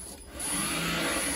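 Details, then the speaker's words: Renault Zoe ZE40 after a motor bearing replacement and rebuilt motor, in drive with the door open: steady high-pitched motor whine with a light mechanical whir from the unoiled reduction gear, no rumble or grinding; motor far better than before. "but the high pitched one is the motor yeah I think that's fine it's certainly a million times better than it was before"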